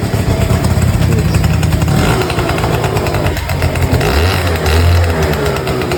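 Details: 38-year-old Honda Vision (Elite) two-stroke scooter after full restoration; starts on one kick, buzzy note revs and settles cleanly without stumbling or dying.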